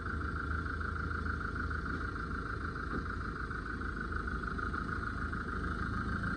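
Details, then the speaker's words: Mahindra XUV500 diesel after replacing jammed one-way clutch alternator pulley that caused belt noise: smooth, even idle with steady tone and no chirp, squeal or rattle; belt drive now quiet, normal. "Friends இப்ப சுத்தமா sound இல்லை"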